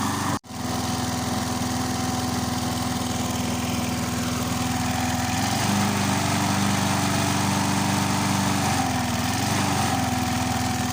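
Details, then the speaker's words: Briggs & Stratton 3.75hp Sprinter mower, restored, just started cold after a year's storage, throttle fully on: steady, even buzz at constant high speed with no knocks, surges or rattles; running cleanly. "It sounds very well. I'll just let her run for a bit longer, and then I'll put her back in the shed."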